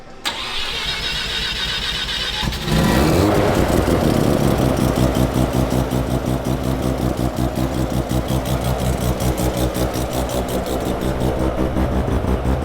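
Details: Mazda rotary car being troubleshot, with a new CAS and factory fuel tank refitted: cranks briefly, catches and settles into a busy, choppy rotary idle with a steady pulse; sounds healthy.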